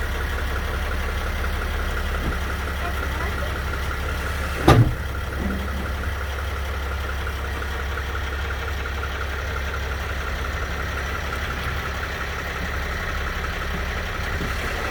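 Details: 2010 Sprinter van idling, then one sharp metallic clunk from the driveline; suspected rear differential clunking, not confirmed.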